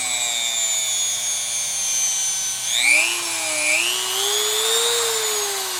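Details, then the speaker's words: No-load run of a roughly $30 replacement rotary tool, bought because the old Dremel barely worked, with speed varied from slowest up. A high, clean whine climbs steadily in pitch, smooth and even, with no rattle or grinding. Normal running. "oh it's no V8 engine but it'll have to do"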